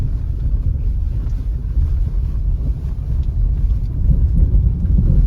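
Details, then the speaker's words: Honda City test drive on a badly potholed road after sponge/tape soundproofing was added for a cabin rattle: steady low road rumble, no knocks or rattles coming through, cabin quiet and tight; no interior rattle. "तो भैया अभी आवाज़ तो नहीं ए रही है लेकिन हलक के बाहर ही है"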